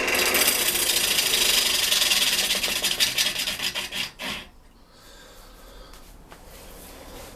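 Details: Large outboard turning blank balanced to limit vibration, lathe's underpowered motor at its lowest speed: rough rasping cut with fairly even chatter about four times a second, quieter as the tool skips; no heavy shake.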